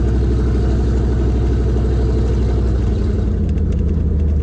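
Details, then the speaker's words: C4 Corvette small-block Chevy V8, cheap neglected car, idling with 33 psi oil pressure: loud, deep, lumpy idle with uneven low beat and open-header bark, just about holding on; it idles "ish" — rough idle. "You know, it idles. it idles. Ish. It runs-ish."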